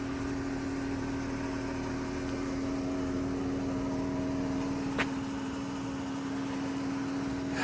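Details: 2014 Dodge Charger Pursuit V6 bought at government auction: a smooth, even idle with a steady low hum and faint injector ticking, and no knocks, misses or surges.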